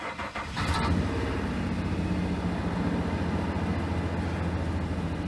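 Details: 2007 Nissan Frontier after fuel pump and O2 sensor replacement, codes cleared: engine cranks briefly, catches within a second and settles into a steady, even idle with no misses or knocks; healthy start.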